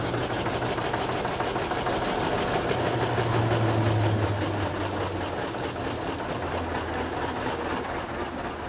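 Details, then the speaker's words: 1906 Reo Model B single-cylinder (4 3/4 in bore, 6 in stroke) after hand-crank start with timing advanced, during a coolant flush: slow, even chuff about three beats per second, steady with no knocks or misses. "just that easy."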